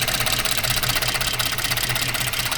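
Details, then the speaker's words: 2014 Ford F-150 3.5 EcoBoost: uneven stumbling idle with skipped beats; cylinder 6 still not working right, coil to be checked. "Un poquitito de cambio, pero vamos a chequear. Todavía sigue el número seis, no trabajando bien."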